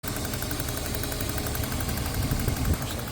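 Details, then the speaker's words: BMW Z3 2.8 engine: quick, even ticking over steady idle, fixed rate, coming from inside the engine bay; source unknown, going to workshop this week. "Viene de aquí dentro, pero no sé exactamente qué puede ser."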